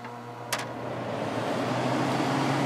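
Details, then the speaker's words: Fedders 10,000 BTU air conditioner, thermostat at coldest setting 8: soft steady fan whoosh and low hum, compressor does not start; only the fan runs. "Nope, no compressor."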